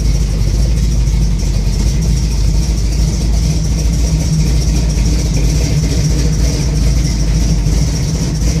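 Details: 1971 Chevrolet Camaro SS 402 big block at idle: a deep, loud, lumpy rumble that keeps wavering; rough idle, cause not pinned down.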